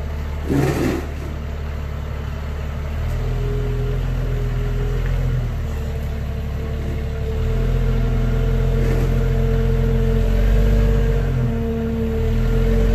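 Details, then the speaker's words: 1993 Jeep Cherokee while driving before repair: constant mid-pitched fuel pump hum under engine and road noise, starting shortly after setting off; the previously installed pump hums; pump and tank later replaced. "so as you can see on this fuel tank that nice shiny bit right there oops is the fuel pump that they already installed but like you heard it was humming"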